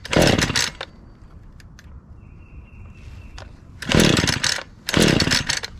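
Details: Husqvarna 435 X-Torq chainsaw fired right up after fresh fuel was poured in: snaps up to a high, crisp scream in short throttle bursts and drops back cleanly, revving freely, though it died off throttle before adjustment.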